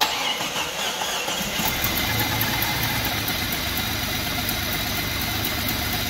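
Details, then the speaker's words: Free Jeep on first start after loosely reassembling the engine: runs with an uneven, stumbling beat of about three or four pulses a second over a hissy background; idles rough, owner suspects vacuum leaks and needs throttle to keep it idling. "still idols rough though"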